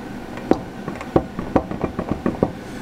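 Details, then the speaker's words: 2005 Chevy Silverado passenger-side front wheel bearing at the ABS sensor and hub, heard from underneath as the wheel is rocked: about eight dull, irregular clunks in two seconds from excessive play. The bearing is badly worn, nearly broken, and due for replacement. "well anyhow the wheel bearing is terrible absolutely terrible pretty much completely broken"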